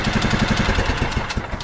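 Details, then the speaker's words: John Deere LT155 with its missing engine mounting bolts replaced (5/16-18) and the carburetor adjusted, started on choke; the small single-cylinder engine idles with a steady, even low putter and no misses or knocks. Normal idle. "it'll run like that for days nice and smooth and now it's bolted to the frame again"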